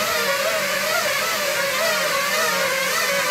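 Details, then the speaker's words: FPV freestyle drone during PID tuning, D gain (damping) slider pushed to 1.4: high, warbling trill riding over motor whine, rising and falling several times a second; D gain too high, motors ramped up on landing. "that's kind of this trilling high-pitched sound that you get from the motors as D gain starts to go too high"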